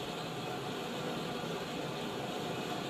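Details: 1917 Blackstone 9 hp hot-bulb vaporizing oil engine run on household heating oil, before a hand start: a steady roaring hiss with no engine beat as a modern gas blowlamp heats the bulb vaporizer. Normal pre-start heating.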